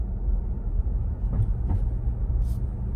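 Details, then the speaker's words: 2022 Ford Bronco four-door Badlands with MIC hard top, after fixing the rubbing plastic rear driver-side pin: road rumble and dull thumps over manhole covers, with no roof clicking or clacking. "so you're hearing what i'm hitting in the road the the manhole covers but you're not hearing this"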